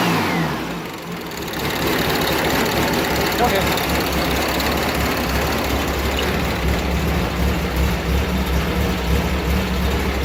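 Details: Air-cooled engine after fitting a catalytic converter after the muffler: cranks, catches and settles into a steady, fairly soft idle with some revving; exhaust sounds subdued, a little quieter; normal running.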